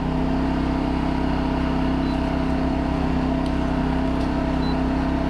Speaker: that's air conditioning so it's in AC speed of the fan is on